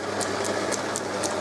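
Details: Holbrook B9 drive motor after reversing, servicing, reaming and fitting the pin to remove play and tensioning the frame: low, smooth hum with only a faint light tick about four times a second; running quietly and evenly, no rattle.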